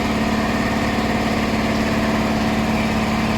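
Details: Faulty 400V V-twin air compressor, previously not building pressure (cylinder suspected leaking), running after repair with heads, air filters and pipes refitted: steady, even chug with constant low hum, no knocks or rattles; now reaching about 50 psi and climbing.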